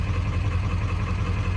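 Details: Cold 7.3 Powerstroke diesel just after IPR replacement: a steady, even low idle clatter with no knocks or misses. IPR reads 20.7% at idle, which the owner finds very high and hopes will drop as it warms up.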